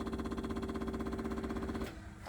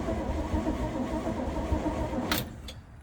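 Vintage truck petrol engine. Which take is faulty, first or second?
second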